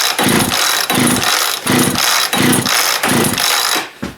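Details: Chainsaw (no chain brake, pull choke), choke on: repeated pull-cord strokes about every two-thirds of a second, one weak sputter at the end, never catches; fuel starvation from gummed carb and hardened pump diaphragm.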